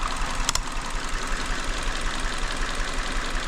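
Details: 2019 Hyundai Elantra 2.0 engine stumbling at idle with check-engine light, code P0304 cylinder 4 misfire; uneven idle with low thumping pulse, two to three beats a second; cylinder 3 coil found faulty.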